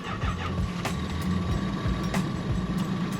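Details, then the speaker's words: Lexus LS400 no-start: cranking with uneven catches and short firing bursts only on starting fluid; has spark but no fuel delivery, traced to a failed fuel pump relay. "we got spark oh I love when it's something simple but really expensive in this case 75 dollar fuel pump relay"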